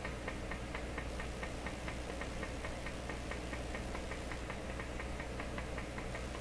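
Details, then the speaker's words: Deforest 10DA517 AM radio running glass tubes instead of the specified metal tubes: faint, even putt-putt pulses about four to five a second over a low hum. The set is motorboating, cause not yet found. "that's not so bad even like that it's very quiet I don't know why it isn't screeching at me sounds like some pleasant drumming okay very faint"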